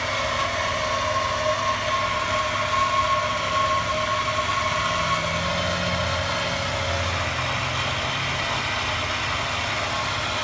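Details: 1998 Honda Accord EX petrol engine, 195,000 miles, whining noise that started when accelerating; thin steady whine above idle, much louder with the hood open.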